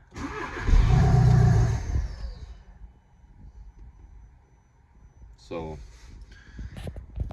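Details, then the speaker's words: 2012 VW Golf SportWagen CJAA TDI with 262,000 on the original timing belt, which shut off while driving: it cranks, fires and roars about two seconds, then dies. The turbo was found bad, possibly seized, restricting exhaust. "I'm not sure if it's slid out or seized or I'm not sure what's going on but anyways turbo is bad quick and simple answer"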